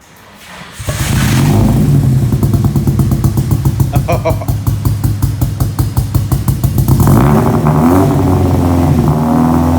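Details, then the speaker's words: Nissan 180SX Type X SR with cams, muffler delete and new 3" stainless lobster dump pipe replacing the cannon, revved before going to the dyno: catches and climbs into a loud, deep, even rev with a crisp open-pipe bark, no knocks; healthy. "It's got full SR sounds now. Rev it up a bit. Not bad."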